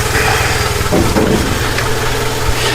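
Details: Jeep during off-season work, engine cover off: deep, steady, even thrum with no misses or knocks, a smooth settled idle before a test drive; sounds healthy.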